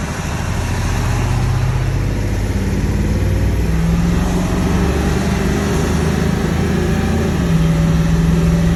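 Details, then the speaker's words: 7.3 Powerstroke diesel truck after all injectors were shimmed to fix a cold no-start, started cold off the plug and not yet warmed up: deep, even drone holding steady while pulling with smooth shifts, no knocks or misses; normal running under load. "So smooth. I'll tell you what, it doesn't only help the thing start. This thing is running amazing. Super smooth shifts, super smooth power delivery. This thing is just purring."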